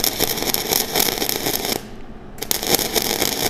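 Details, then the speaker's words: Flux-core welding bead with wire feed speed too high and voltage too low: harsh, uneven crackle with irregular pops and a brief dropout instead of a steady sizzle; wire keeps popping with no penetration, arc uncontrollable. "the wires speed too high my volts are too low you can kind of see my wire just keeps popping it's not getting any penetration whatsoever and it's just pretty uncontrollable"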